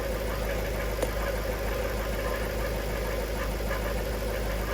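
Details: Jaguar XK8 idling after shifting through gears, following Transgo pressure regulator valve upgrade and ATF refill, fluid apparently low; faint loose irregular rattle about once per second from the automatic transmission, not fixed, cause unknown.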